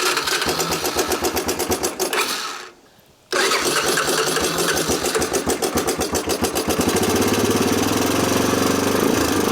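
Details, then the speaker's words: 1987 Honda TRX250 Fourtrax ATV, long stored, first start with no air filter and intake boot disconnected: very high idle, suspected vacuum leak or carburetor idle set too high, with a tinny metallic clatter. Metallic top-end rattle with high idle. "Okay, we have a height idle, very, very high idle for some reason. Either it's got a vacuum leak or just the idle adjustment on the actual carburetor is set way too freaking high."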